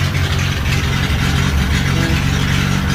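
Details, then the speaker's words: 1963 Rambler's old engine idling cold with the thermostat not yet open, on a temporary fuel hose and just after radiator install: a low, slightly uneven, lumpy idle that wavers. Rough idle; owner thinks it needs a tune-up. "definitely sounds like you could use a tune-up but uh hey i'll take it"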